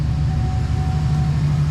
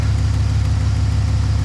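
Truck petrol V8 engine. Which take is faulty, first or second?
second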